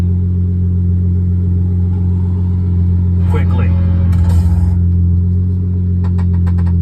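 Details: Dodge Charger at about 76,000 miles with no regular maintenance, after a fix for a cylinder 6 misfire. Steady, even idle with no stumble or skip and only handling noise over it. The check engine light is still on, but the owner believes it is fixed.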